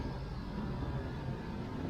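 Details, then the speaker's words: 1993 LSE air suspension front rising, 77 to 78 on the tape measure: steady droning hum with a faint high whine; owner says the compressor pump is quite noisy. "and fronts coming up now i can see it 77 78 but like i say that pump it's quite noisy"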